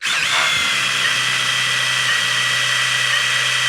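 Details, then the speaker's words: 1971 Chrysler New Yorker 440, parked 20+ years, oil pump spun by drill; high drill whine drops in pitch within half a second, then holds steady and strained as oil pressure builds; pump primed. "Okay, I'm going to spin it, and what you're going to hear, we hope, is all of a sudden the drill will load. It'll be spinning fast, and then it'll go and it'll have some load on it. That's oil pressure."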